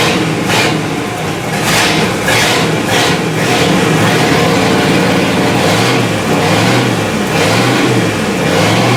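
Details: 1955 Buick straight-eight after distributor gear replacement, static timed at 5 degrees, points cleaned and reset, warming up: runs steady with clean revs returning smoothly, no misfire or stumble; normal running.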